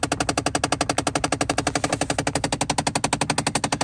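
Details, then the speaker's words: Jeep under-dash rapid clicking and popping when key on and switching hot to cold or opening door: bad hot/cold blend door actuator, likely stripped gear. "All right, that sound's coming from up in here, and what it is the hot, cold blend door actuator's bad. More than likely one of the gears is stripped out of it or whatever."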